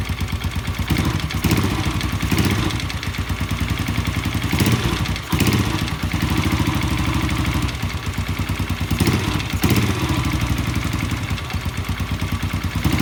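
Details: Yamaha Jupiter Z motorcycle engine: loud, rapid clattering "tek tek" knock over the idle, sharpening with each throttle blip; worn, loose connecting rod is the main cause, fixed by replacing rod and using original crankshaft bearings.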